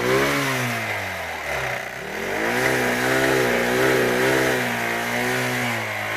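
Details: Royal Enfield Thunderbird 350X single-cylinder: thump rising and falling with the revs, uneven clattery edge on top; abnormal engine noise, cause unclear.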